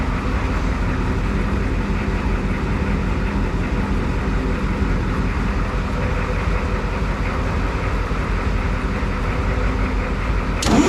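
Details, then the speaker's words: Clark IT70 forklift with suspected fuel issues, after hooking up the throttle lever linkage: catches and settles into a steady, even drone a bit fast for idle; running fine, high idle to be adjusted later. "so it's obviously I've been a little high but I can adjust all that later but yeah it's running so that's that's really good"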